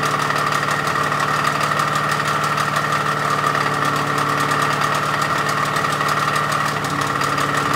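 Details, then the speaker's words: Small-block Ford 302 with GT40P heads, an Isky hydraulic flat-tappet cam and Quiet Power lifters, after a cam break-in that went badly: a steady idle with a sharp knock and tick about three times a second. A bad rod or crank bearing is suspected, plus at least one lost lifter. "Break-in did not go well. There's definitely a bad rod bearing, crank bearing, something in there. And anyways, I don't know if you could hear from the video clips I had of the motor running and breaking in. It just didn't sound good. And it sounds like we lost at least one lifter."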